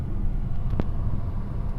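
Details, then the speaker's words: Nissan Almera after replacing one failed ignition coil that caused shaking and flashing light, A/C on: steady, even idle rumble with no misses or stumble, one brief light click; runs smoothly, though check-engine light still on. "แอร์ก็ปกตินะครับเครื่องไม่สะดุดนี่ครับเร่งเครื่องปกติเครื่องแต่ไฟเครื่องยังโชว์อยู่นะครับ"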